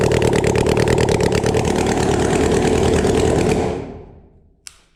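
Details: Flood-damaged Yamaha FZ6 Fazer after cleaning the intakes and flushing the oil. It runs with an uneven, ragged beat for a few seconds, then dies away; rough running after the flood. The owner later found water in the fuel; the cause is not otherwise confirmed.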